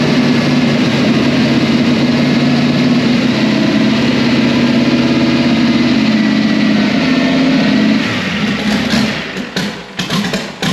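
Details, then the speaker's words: Twin-turbo 6.0 LS swapped into a scratch-built 1965 GMC/Chevy C10, first fire-up: steady, lumpy V8 idle with deep uneven burble, then dies away; running rich, O2 sensor getting fresh air and not learning. "It looks like it's rich as fuck, but the. Well, it is."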